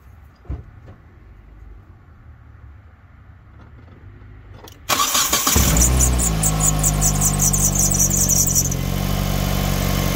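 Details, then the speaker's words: 2005 Hyundai Tucson GL 2WD, first start after replacing the exhaust manifold/catalytic converter unit and upper and lower O2 sensors: cranks and catches into fast idle with a faint quick ticking; owner suspects a small exhaust leak at the bottom, to be tightened. "I mean it sounds like it's got it might have a little bit of a leak down at the bottom I'll tighten that down"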